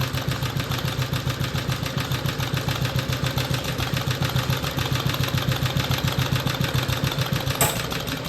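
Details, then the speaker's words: BSA/Villiers 119cc Sloper two-stroke, after carburettor/engine service and a warm restart: a quick, even idle thump with a soft crankcase-breather puffing riding on top; normal, settled idle with audible breather. "There's not many engines that have that sort of rather nice sound to it. That lovely heavy flywheel."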